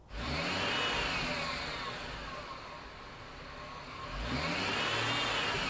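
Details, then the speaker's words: 2005 GMC Envoy: loud high whine sweeping up and down with engine revs, also heard while driving; first suspected power steering pump, actually a failed single bearing in the idler pulley; fixed by replacing it. "that's all it was the idler pulley there's a single bearing on that thing"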